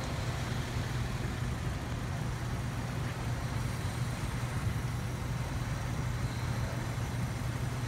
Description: This vehicle had a non functional Injector causing s misfire.